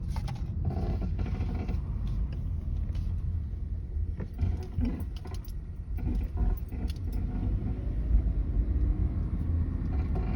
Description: 2017 Chevrolet Malibu noise when steering steering wheel